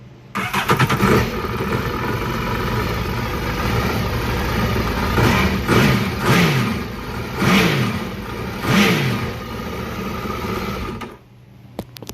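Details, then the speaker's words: 2008 Yamaha VX1100 jet ski with a throttle body running issue, after its connectors were reseated. The engine starts, settles to a steady run, then takes four clean throttle blips with RPM rising and falling quickly; the response is normal. "So clearly you saw it running. You give it throttle, it accelerates, the RPMs raise as it should."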